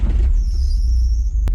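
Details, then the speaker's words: Nissan 180SX, first shakedown drive after fitting an S15 T28 turbo, hot day of about 32°C, inside the car: a thin, high squeal holds steady over the engine's low rumble; drive belt squeal. "Belt squeal. So first shakedown. It's always a bit nerve wracking, but you know, should be pretty confident."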